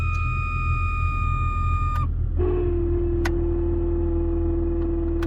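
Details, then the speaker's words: Jeep heater blower motor: a steady high squeal over the fan rumble, dropping to a lower continuous whine, from a worn blower motor bushing/bearing that has developed play. "So it is normally you get that sound, it's the bushing, the bearing that's in the blower motor, and it gets play and"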